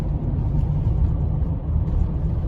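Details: 2013 Honda Odyssey idling about 13 minutes with the check engine light flashing while the owner waits for DTC codes to register: low rumble lumping and stumbling unevenly; a misfire at idle, cause unknown.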